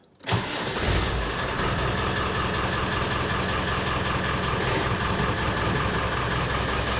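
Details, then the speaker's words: 1994 Land Rover Defender 2.5 Tdi diesel started just after oil and filter change, not revved: catches within a second, steady even diesel clatter at idle, oil pressure light goes out; normal start and idle. "see the oil pressure light's gone out that's a good sign"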